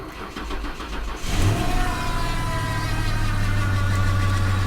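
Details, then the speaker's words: Salvage-auction Lincoln, cold start in February: engine cranks and catches, then a thin whine rides over the idle for a couple of seconds and quickly fades; power steering pump whine, which another Lincoln also does when very cold. "power-steering wine going on there my other lincoln does it too when it's really cold out you see how quick it goes away"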